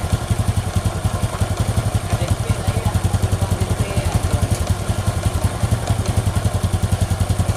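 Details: Honda Supra X 125 single after repair (cleaned centrifugal filter), stiff as new so idle raised; connecting rod at about 70% but silent. Even low thumping at steady idle, no rattle or knock; normal idle.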